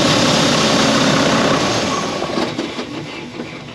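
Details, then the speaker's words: A Volvo VNL D13 diesel truck at idle gives a loud, airy rushing hiss from the intake pipe. The clamp was loose and the O-ring was crimped and not seated, so air leaks from the intake. "I went ahead and I buy the parts to fix the Volvo with the noise that I was explaining to you guys about the not the up and down surge, but it's an extra breeze or wind blowing from the engine, from the pipe, right?"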